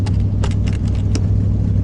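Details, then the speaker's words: Van engine with working choke, just started: steady low idle rumble with irregular sharp puffs and ticks from exhaust, blow-by heard in exhaust, missing a lot; exhaust leak at idle. "I like it when the choke actually works. I think the trick is hitting the gas one time and then it works. You can hear the blow by in the exhaust though."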